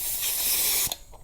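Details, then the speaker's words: Small air compressor (about 150 psi, emptying quickly) with 3/8-inch hose rated below 300 psi, used for tire filling on a 2023 Chevrolet Bolt EUV: sharp steady high hiss about a second, then cuts off; air leaking at hose fitting whatever fittings used. "now for some strange reason no matter what fittings I use there is always an air leak so we're just going to ignore that hissing sound in the background"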